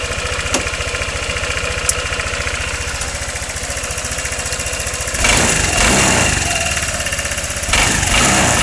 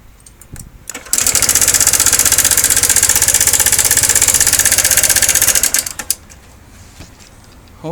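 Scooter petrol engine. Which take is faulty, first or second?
second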